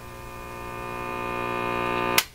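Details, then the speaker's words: Philips Model 922 tube radio, first power-up on a bulb limiter with supply raised to about 107 V: loud steady hum swells as tubes warm, then stops when unplugged; hum almost certainly from failed filter capacitors needing replacement. "big Hummer okay it's a big Hummer that's the end of that we don't have to do any more than that so uh safety I always try to remember to unplug that okay so almost certainly that hum was because of this guy and uh we're going to have to change them out"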